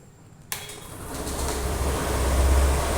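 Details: Honda Activa 6G scooter, 28,000 km, well maintained: fires instantly and settles into a smooth, even low putter with no knocks or rattles; normal healthy idle after start.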